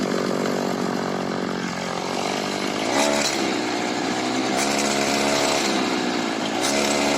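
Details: Makita RBC 411 brush cutter after repair (it shook and made a strange engine noise after the blade hit a branch; cause was a broken clutch spring): two-stroke buzz revs up and falls back cleanly several times, no rattle or shake; healthy.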